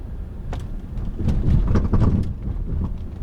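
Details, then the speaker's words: 2013 Lincoln MKZ 3.7L V6 AWD driven over railroad tracks; irregular heavy low thuds and clunks from the loose rear suspension; owner suspects the struts or strut mounts, unconfirmed. "hear that feels like just like my rear axle or just something that's just so loose i'm not sure what it is but i'm thinking that it's the struts or the strut mounts"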